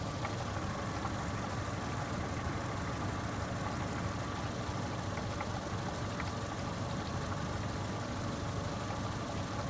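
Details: 2002 Saturn S-series with code P0440 still showing after cleaning metal hose into exhaust manifold: even idle with a faint loose clank, gurgling and liquid-like sound, like a muffled cowbell; owner suspects something in the front pipe or catalytic converter.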